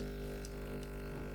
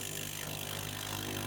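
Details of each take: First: Low-cost AMZ Chef espresso machine with a pressurized dual-wall basket, extracting: a steady buzzing pump drone with a faint hissy sputter over it. This is the usual, normal sound of a dual-wall basket. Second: Very low-cost mystery espresso machine, first water run through the pump right after a 25–30 second heat-up: harsh, loud rasping buzz like a small CC engine; thought to be just a dry, unprimed pump expected to get quieter.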